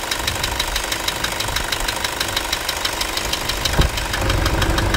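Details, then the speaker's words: Toyota Hilux 2.5 diesel after the belt-noise repair: steady diesel ticking remains, but the belt scraping and squeal are gone; accessory belt drive now normal. "vamos escutar ver se o barulho aquele barulho de Correia parou vamos escutar vai lá"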